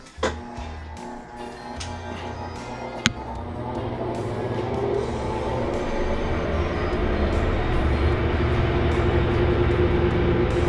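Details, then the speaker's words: Whirlpool top-load washer WTW4800XQ4 with a tilted drum and broken suspension shock that caused banging: in test mode, clicks as the shifter moves from agitation to spin, then a smooth rising spin hum without banging. "As you can see, we already on spin."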